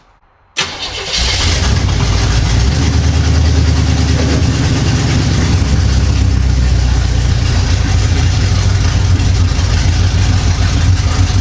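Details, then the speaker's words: 1975 Chevy Monza 2+2 with 350 small-block V8 swap, sat about 20 years, after replacing the faulty distributor: catches after short crank and settles into deep, steady, lumpy idle holding by itself, sounding mean; normal running. "Well, it looks like that did it. The distributor was the problem. Woo-wee! He sounds mean."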